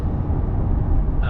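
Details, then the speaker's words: 2023 Chevrolet Corvette C8 cabin at cruise: steady low hushing rumble, general road and tire noise through the windows, a persistent hushed noise from the front end and rear ticking; car otherwise quiet. "There is some general just road noise and tire noise coming through the windows."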